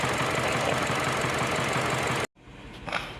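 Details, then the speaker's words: Mini Cooper uneven, lumpy idle stumbling about four times a second; DME live data shows misfire moved to cylinder 3 after pending codes on cylinders 2 and 4; faulty injector suspected, to be replaced. Cylinder misfire. "So when you go to the DME and go to live data and go to misfiring, now the misfiring has jumped to cylinder 3 and it is still there."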